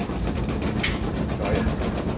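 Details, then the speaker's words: Kenmore dryer: heavy rapid rhythmic thumping over a deep rumble as the drum turns, drum rocking, because the two rubber drum support wheels have gone flat after a couple of years; fix is replacing the wheels with the belt. "but uh yeah if you got this noise and the thing is rocking all over the place okay this is your problem"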